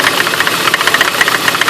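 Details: 2003 BMW E46 at idle: sharp, rapid, regular clicking knock over a thin, slightly rough idle from the front of the engine. Owner suspects the water pump, which leaks slightly; new spark plugs didn't fix the rough idle.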